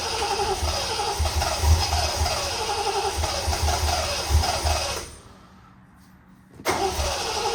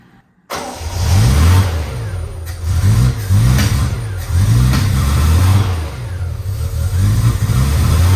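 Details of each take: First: Triumph TR6 after cleaning and regapping plugs, fuel system primed but no pump resistance felt: starter churns evenly about three pulses a second, pauses, resumes, engine never fires. Cranks but won't start, cause unconfirmed. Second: 1972 Triumph TR6 that previously idled at 200–300 rpm and died, timing reset to 2° BTDC: engine catches and revs smoothly and evenly on all four cylinders with no clunking or rod knock. Normal running.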